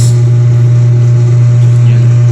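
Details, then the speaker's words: Eureka single-tub washing machine that had suddenly stopped with no power, after repair: low, steady wash motor hum with no grinding or stalling, turning about 14 seconds each way in reverse and forward; normal. "Mahaba haba yung ikot niya mga kan mahaba-haba 14 seconds ang kanyang ikot so Nag reverse nagforward"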